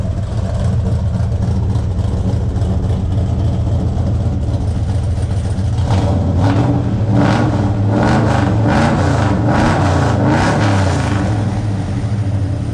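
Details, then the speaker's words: Buick Skylark with 427 big-block V8, exhaust open at O2 sensor hole: deep even idle climbing cleanly through quick throttle blips, no ticking or knocking; normal idle and rev, sounds awesome. "this sounds good oh oh oh oh oh oh oh oh oh probably BR up yeah what do you think sounds awesome sounds good"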